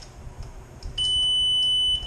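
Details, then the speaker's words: 1.8T engine on a bench test for a Super Beetle build: key turned, one steady high beep of about a second, no cranking; grounds sorted but the anti-theft immobilizer blocks starting, ECU sent out for reprogramming. "there's an issue with the anti-theft system. So unfortunately, I was not able to get the engine to start today,"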